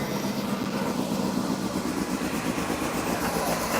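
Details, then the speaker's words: Engine being fired up, still running rich: the engine runs unevenly with a lumpy, irregular beat and clattery bursts, not healthy. "yeah it's a little it's not very healthy"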